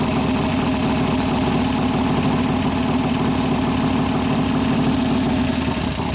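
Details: 1988 Harley-Davidson FXR V-twin after lifter-noise repair with pushrod adjustment and cam change: steady, lumpy idle with an even beat and no clicking or tapping from the top end; engine sounds healthy.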